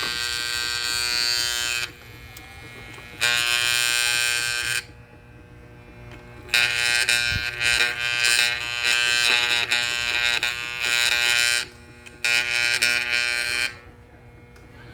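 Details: Vintage Hamilton Beach electric hand mixer that quit while mixing, opened up and gears cleaned, still stiff: harsh high even buzz in on-off bursts, motor hums but beaters do not turn; cause unknown.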